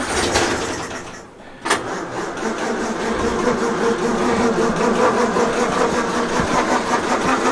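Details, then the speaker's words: 1932 Morris Minor four-cylinder sidevalve, last on the road early 1970s, 6V battery, fuel dribbled in by funnel: the starter churns steadily at two or three beats a second but it never catches; crank-no-start, owner suspects flooding and will check the plugs. "no it's not so Keen now we're just okay give it a rest for a minute maybe maybe it's a bit flooded"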